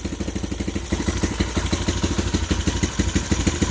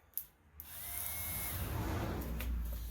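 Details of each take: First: 2015 Bashan Storm 250 first run on choke with a booster box: even steady thumping idle at a fast tick, no clacking or tapping from the engine; exhaust sounds healthy. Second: 2015 Bashan Storm 250 on a jump pack, starter relay bridged with a screwdriver: a couple of clicks, then a free-spinning electric whirr with no compression pulses. The starter turns without engaging the engine; missing wiring is suspected.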